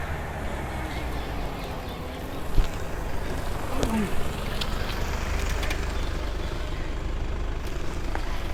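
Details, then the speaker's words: Mercedes GLE-250 road test after full front and rear suspension overhaul (new bush kit, new front shocks), wheel bearing noise now gone; only steady low road rumble over bumps, no clunks or knocks; suspension quiet. "तो अभी वो आवाज़ नहीं है, यानी कि wheel bearing वाला issue जो था वो खत्म हो चुका है।"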